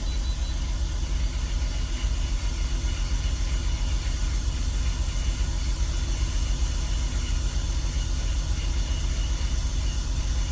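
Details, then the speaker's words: BMW E46 with a vacuum leak (CCV system being replaced) and bad coil packs, idling after a known-good coil pack was swapped in. Idle is a low rumble, still slightly uneven but much smoother than before, with a remaining misfire on cylinder 6. "it's still not super smooth but it's not rumbling like it did it's not shaking like it was it's still like it's not smooth but it's better A lot better oh there it is now we only have a misfire on Cylinder 6"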